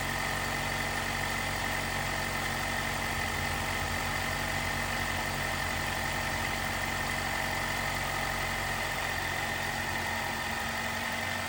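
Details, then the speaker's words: 2018 Jeep Wrangler JL, 2.0L turbo, after replacing the timing chain tensioner to cure a rattle on cold startup: even, steady idle with a faint constant high whistle and no chain rattle or ticking, quiet and healthy. "But the result is my engine is nice and quiet."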